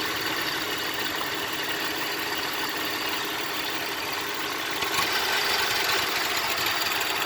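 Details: 2004 Cadillac SRX at idle: uneven, unsettled running with a faint irregular pulsing under a hissy note; rough idle, cause not yet found.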